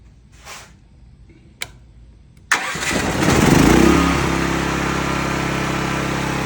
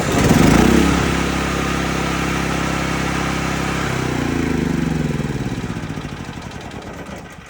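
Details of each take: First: Cat RP8000E generator, about 5 years old, with the faulty CO sensor bypassed by a switch set off; quick crank, engine catches and flares, then settles to a steady even run without faltering. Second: Cat RP8000E generator, about 5 years old, electric start, after draining the carburetor and flushing with fresh non-ethanol gas; cranks, runs evenly about four seconds, then dies; CO sensor shutdown circuit suspected, oil level sensor also possible.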